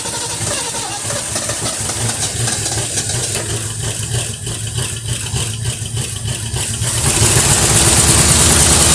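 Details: 1973 Mercury Cougar XR7, first start since 1985, oil/2-cycle mix in cylinders, Motorcraft carburetor leaking at accelerator pump, no oil pressure on gauge: steady idle with quick light ticking about three per second; owner suspects lifter noise from old engine.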